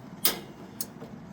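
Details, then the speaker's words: Teton propane grill after drip pan replacement and cleaning, startup test of two newly replaced burners: three crisp sparker clicks about half a second apart, quiet background; igniter firing normally and both new burners light and run well. "And now the other one's going. So the two new burners are going good."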